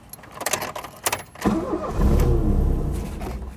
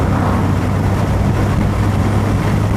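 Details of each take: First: 1982/83 Ford Escort Mk3 1.3L: starter gives a couple of dead clicks without engaging, then after smacking the starter motor with a bicycle pump the engine cranks and catches on a low roar. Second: 1982/83 Ford Escort Mk3 1.3L carburettor petrol on road, hot day, windows down: steady deep drone pulling under load with no coughing, banging or misfire despite carburettor's reputation; pulls cleanly.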